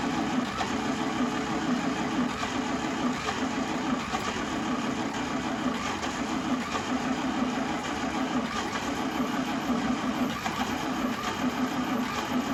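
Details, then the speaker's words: 1952 International Harvester L112 barn-find engine, cold, starting fluid sprayed and choked, earlier near-zero compression: long steady starter whir with faint uneven firing attempts but no start; coil got very hot, starter began smoking. "So I'm pretty sure I heard the engine trying to fire once or twice. Maybe you guys heard that too. And then I was cranking it for a while, nothing was really happening."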